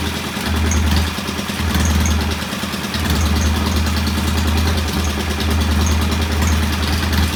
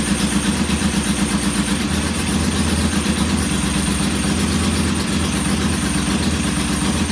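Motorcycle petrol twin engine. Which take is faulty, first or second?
second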